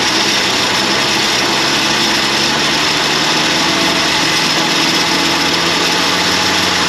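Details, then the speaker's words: 1981 Jeep Wagoneer parked 33 years, running: constant loud harsh grinding whir over the engine; badly worn belt-driven accessory bearing (AC belt also runs alternator), spinning but very noisy. "This bearing's gone though. Was it spinning or no? No. Well, it was spinning, but it was making a lot of noise."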